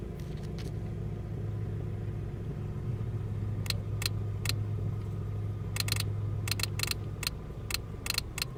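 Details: 2003 Ford Focus ZX3 at idle: sharp, irregular electrical ticks in clusters, unrelated to engine speed, with headlights flashing in sync. Disconnecting the battery cures it for 40–60 miles; alternator, battery, cables, fuses and relays were replaced without fixing it.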